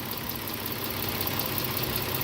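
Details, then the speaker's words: 2010 Dodge Challenger bought at police auction, first start: even, settled idle with a smooth low rumble, no knocks, misses or rattles; engine sounds healthy, normal idle. "oh we gotta check and see if this car goes into gear or not the engine sounds really good job"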